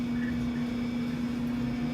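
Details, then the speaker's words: Whirlpool Cabrio dryer after disassembly, diagnostic-mode checks and repair, heating again: smooth, even hum with a steady low motor tone and no scraping or knocking; normal operation. "so as you can see everything's put back together it works like it's supposed to I'm very satisfied and of course the wife is happy"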